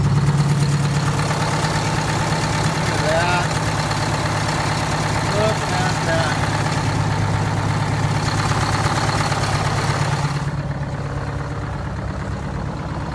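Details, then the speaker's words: 1969 International 400 dump truck, Detroit 8V-71 two-stroke V8 diesel, after cracked bell housing chained shut and air starter used, fuel stabilizer and cetane boost added: steady even idle, smooth low drone, no misses or knocks; normal idle. "the 69 international 8d 71 running"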